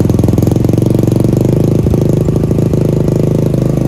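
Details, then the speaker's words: Supra X Daytona single with a new Yuasa battery after sitting long with stale fuel and a dead battery; carburetor clean. Loud, lumpy thump of 2–3 beats a second from an open exhaust blamed for the ugly sound. Starts and idles steadily. "ini dia suara dari Supra Daytona menggunakan aki baru. Dan gimana suaranya? Pastinya keren sih."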